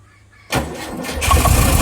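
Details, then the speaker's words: 1959 Porsche 356A after its spark plug leads were corrected to the 1-4-3-2 firing order (it had been running on only 2 cylinders): a brief starter whirr, then the engine catches and builds to an even, strong run with no misfire. "another happy customer. There we go. Well done, mate."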